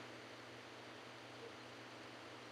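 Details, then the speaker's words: Vintage game hardware after recapping and trying two different sound boards: game sound barely audible under a steady flat hiss; very low audio output with static, cause not found. "It's there, but it's just really quiet. And it's got a bunch of noise on top of it."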